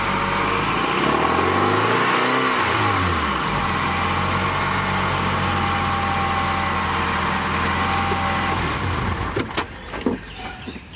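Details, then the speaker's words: 1997 Acura CL 2.2L F22B1 VTEC, before the exhaust header gaskets are replaced: loud, raspy rev and steady idle with a spitty, puffing edge; exhaust manifold gasket leak. "it's so loud up here it's probably yeah mainly it's probably not even going to be tonally it's just going to be volume yeah well it it should be less like spitty and raspy too"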